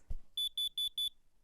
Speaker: having a carbon monoxide alarm will alert you if it exists in your house a carbon monoxide alarm sounds something like this